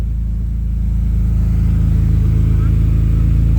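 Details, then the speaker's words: Car exhaust after all four rust holes were patched with license-plate patches and hose clamps, no welding: low, steady idle rumble with even beat, no hiss or chuff from leaks; far quieter, sealed. "Let's see what it sounds like when I start it. Oh my god! It's so quiet!"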